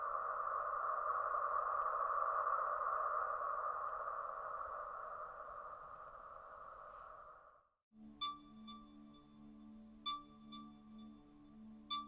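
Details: Polestar 2 AVAS reference sound from Polestar's website: smooth hovering tone fading out, then soft pulsing tone about three times a second; normal pedestrian warning sound.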